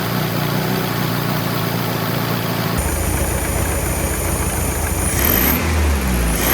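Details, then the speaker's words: 1967 VW Beetle air-cooled flat-four running on a stand after rear main seal replacement, valve adjustment and timing set: even steady idle, smooth low drone, no misses or ticking; healthy normal idle. "Timing set, we're gonna lock that down. She sounds like a happy little engine."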